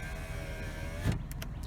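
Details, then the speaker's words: Used-car inspection: a power window motor runs the glass down and back up with a smooth, even hum ending in a single soft thud as the glass seats. The window works normally. "but with this one with power windows we need to make sure it at least goes down and it does and it comes back up"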